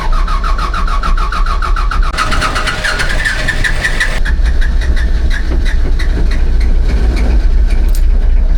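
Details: Diesel amphibious ATV, glow plugs run on a 5-second timeout, about 70°F outside; long, uneven cranking with pulsing starter whir before it catches weakly and runs rough, hard starting.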